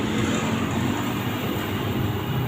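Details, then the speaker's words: LG 15 kg washing machine after replacing worn inner drum bearing, spin test above 1000 rpm: steady, even whoosh with no rumble or grinding, previous loud noise gone; normal spin. "Suaranya udah enggak ada ya. Ini udah menit keen RPM sudah di atas 1000."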